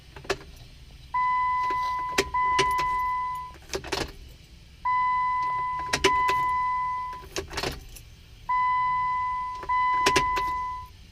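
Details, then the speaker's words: Jeep with a failing starter: each key turn gives a chime and a single faint click with no cranking, three times over; the starter is not engaging, and replacing the starter later appeared to fix it. "There we go. No ignition. Try again. No, nothing. Nothing."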